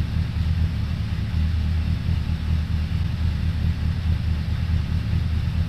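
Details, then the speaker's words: 2002 Suzuki Bandit 1200S, stage-three jetting with pod filters, after fixing fuel overflow for a won't-stay-running complaint, not yet warmed up, mic moved further away: deep, even four-cylinder burble holding steady idle, no misses or knocks; normal idle. "so there you have it pretty good huh i haven't let it warm up a little bit"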